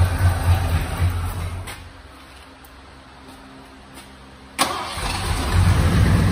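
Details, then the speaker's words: 1986 Ford F-150 V8, first start after 15 years sitting, new fuel pump, old gas: steady even low rumble, no knocks or misses; oil pressure up, possibly low on power steering fluid; normal running. "i said it's probably low on power steering flood oil pressure up yeah doesn't sound too bad"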